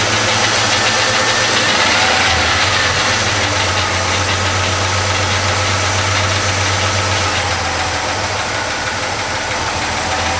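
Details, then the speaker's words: 73-87 Chevy C10 pickup V8 idling after full wiring harness replacement, running better than before: light, quick ticking about four times a second from rocker arms needing adjustment on cylinder five or six, plus faint squeaking belts. "you can hear the belts squeaking a little bit I gotta I know I've got a couple rocker arms that need to be adjusted it's either on the the number five or the number six cylinde"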